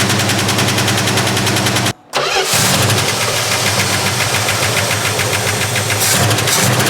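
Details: 1970 Plymouth Duster 340, sat 30 years, first start: the engine catches, dies briefly and restarts, then a quick, steady lifter tick rides over the rough idle.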